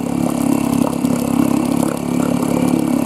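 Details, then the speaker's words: Sharmax 4 hp outboard with a Chinese carburetor, restarted after stalling cold because the fuel tap was not fully open: quick, even putter with no stumbles at a steady pace; running smoothly. "попробуй так вот вот показать работает ровно"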